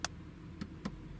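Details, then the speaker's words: VW Golf Mk7: the VAWS v3.0 scan tool runs a passenger door electronics actuation test on the front passenger window regulator. Three short, sharp clicks with no motor whir follow, and the window doesn't move. A possible fault is suspected but not confirmed. "So if we go to F2 start, we might be able to hear the tool turning down the window. Now we heard something move there, but it didn't actually do anything. Which is quite strange."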